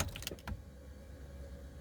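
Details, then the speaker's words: 2000 Chevrolet Corvette C5, long parked and not running: a couple of clicks at key-on then a low steady hum from the tank as the fuel pump primes and shuts off normally. "runs and shuts off fuel pump runs and shuts off like it should"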